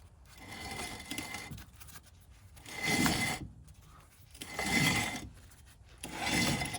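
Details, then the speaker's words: 2012 Ford Focus wheel bearing, code thrown, wheel turned by hand: slow, gritty crunching rasps about every two seconds. Worn, cooked wheel bearing. "Yep, that thing's cooked. So I'm gonna get that wheel off, bust that thing out, and let's see how bad this is."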